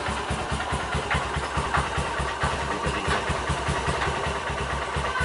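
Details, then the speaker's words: 2010 Honda Mega Pro carburetor model after a 198cc BRT bore-up, pilot jet 38, main jet 120: single-cylinder idle around 1100 rpm with an uneven beat, revs rising and falling; carb air screw not yet adjusted. "masih RP nya masih naik turun ya, di 1100 ya. Oke, nanti kita setting angin dulu karena di sini lingkungan warga ya, enak ya untuk gebar-gebernya."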